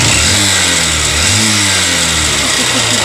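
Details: Honda CB Shine single-cylinder motorcycle with an unresolved engine noise after earlier repair: harsh, rattly mechanical clatter over the revving engine, rising and falling with throttle; cause unclear, cover to be opened.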